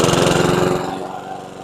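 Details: Curbside PowerSmart DB2194PR 21-inch push mower, RATO 170cc single-cylinder, very low on oil (dipstick part possibly sucked in): runs rough with harsh metallic clatter each beat, really clanky; knocking expected from oil loss, cause unconfirmed. Engine knocking.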